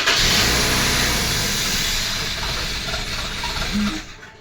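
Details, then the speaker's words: 2000 Toyota Celica GT after fuel injector, intake manifold gasket and MAF sensor replacement: catches and runs rough, uneven shaky beat, hissy squeaky top end, fading out; heavy shaking, suspected air leak. "That does not sound good at all. It sounds like you have hair. Holy shit. It was shaking bad. It's I heard it. It sound like an air leak."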